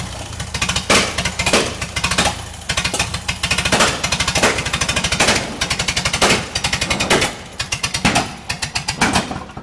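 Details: Bantam T35 crane carrier with gas Leroy D176 four-cylinder, long sat: harsh uneven firing surging and dropping every second or so; owner suspects the magneto; rough running misfire.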